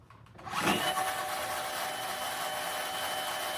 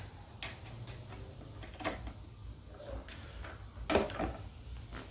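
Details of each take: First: Razor Black Label E90 scooter after replacement of the hub motor, whose old bearings were shot and growled: the new motor spins up and settles into a smooth, steady high whine, a healthy sound. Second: Razor Black Label E90 scooter hub motor running with a rough low growl and scattered clicks that get louder with speed. The bearings are suspected to be shot, and the hub motor was replaced under warranty.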